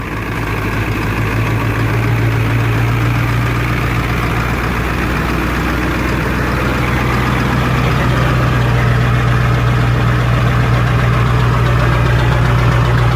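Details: 1994.5 Ford 7.3 Powerstroke turbo diesel, cold start after glow plugs: deep, even diesel rumble with steady low beat, no knocks or misses — normal cold idle settling after startup.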